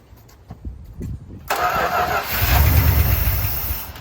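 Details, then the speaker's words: 1972 Dodge W200 Power Wagon, first start in years on old gas with the choke partly open, cranks briefly, catches, then settles into an even low rumble with no knocking; sounds healthy, normal start and idle. "Oh yeah, I see. Sounds healthy. I'm not hearing any knocks."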